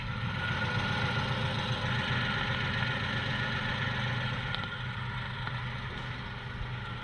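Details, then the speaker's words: Porsche 986 Boxster flat-six before its IMS bearing job: uneven, lumpy idle stumbling about four times a second; misfire, cause unknown, suspected fuel starvation or too much fuel. "I'm gonna play the video of the engine car running with the engine misfiring before we took the engine out so I can show you the difference"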